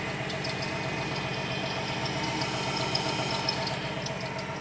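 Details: 2017 Ford Transit idling with faint, intermittent high-pitched chirps over the engine; squeak at idle that four mechanics could not locate.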